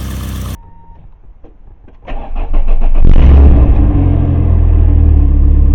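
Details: Barn-find Volvo 480ES on a replacement ECU, fuel pump primed: brief starter churn, catches almost at the first turn of the key, revs up and settles into a steady, strong run without stumbling; normal start.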